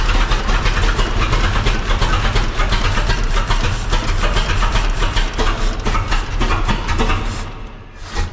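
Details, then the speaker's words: 1926 Seagrave city service ladder truck, 1013 cu in "F" six-cylinder, first start in at least 10 years after long storage, only battery and carburetor fuel added: loud, lumpy, stumbling run, missing on one or two cylinders. "just got it running it's missing on one or two cylinders but we haven't done anything to this engine just put a battery on it and put some gas to the carburetor and fired it up"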